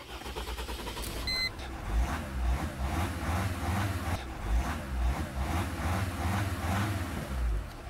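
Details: Mercedes diesel that showed a "start error" after a discharged battery, cleared by shifting to neutral: a short beep, then it catches and settles to a steady low thrum with a gentle pulse, starting normally in neutral and park.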